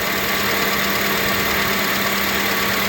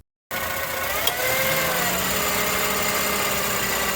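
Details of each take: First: 2005 Acura TSX idling with AC on after serpentine (drive) belt replacement, which fixed a chirping noise worse with AC: steady, even idle with the compressor running and no chirp or squeak; belt drive sounds healthy. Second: 2005 Acura TSX at idle: thin squeaky chirp from the belt side, occurring on initial acceleration and when turning the steering while stopped, louder with AC on; owner suspects pulley bearing or serpentine belt, testing with water spray.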